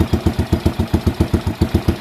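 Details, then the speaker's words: Freshly rebuilt Honda CT110 postie bike engine, carburetor model: steady single-cylinder idle, even chuffs about six or seven a second, no rattles or odd noises; new motor running healthy. "hear that the motor's sweet as no rattles no one wanted noises"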